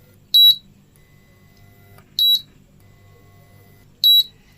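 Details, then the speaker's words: Prestige 2.0 induction cooktop brought in for low heat: a single high beep repeats about every two seconds over a faint hum as the cooktop heats and then cuts off. Intermittent heat cut-off with beeping. "இப்ப இதுல வந்து பாத்தீங்கன்னா beep sound உங்களுக்கு வரும் அதாவது heat எடுக்கும் cut off ஆயிரும் heat எடுக்கும் கட் ஆஃப்"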